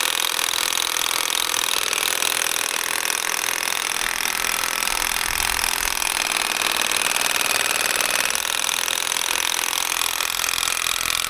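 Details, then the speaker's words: Old Makita DUN461 pole hedge trimmer tested outdoors after dismantling cutting head to fix stalling and lost power; steady high buzz with brief sag as blades bog; jammed only twice, self-clearing on re-trigger, possibly slightly better than before but still lacking torque. "I think that might actually have been a wee bit better. It only jammed twice. On both times when I pressed the trigger again, it kind of unjammed itself, whereas before it was just jamming all the time, a bit like Bob Marley."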